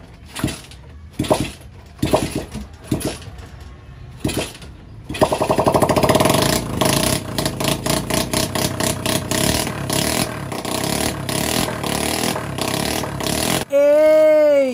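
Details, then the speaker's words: Rusty Suzuki Raider 150 motorcycle being restored, kick-started after a rest: several kicks, then catches and runs loud and crackly with open-pipe pops on revs; runs fine, no exhaust fitted yet, new TRC power pipe to be installed. "Dahil umaandar na, isikakabit na natin yung tambutso para hindi masyadong maingay dahil nakakabulahaw yung ingay ng motor."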